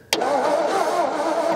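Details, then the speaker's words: 1950s shoebox Ford flathead V8, unregistered since 1981: the starter cranks at an even rhythm but the engine never fires; there was no spark because the ignition switch was not in the Run position. "well I found the issue apparently the ignition switch does work so I turn the ignition switch to the Run position and now look we have spark"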